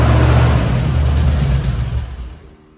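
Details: 1977 Mustang Cobra II V8, bought as having a blown motor: deep, steady rumble pulling evenly with no knock or tick before dying away; the engine sounds healthy.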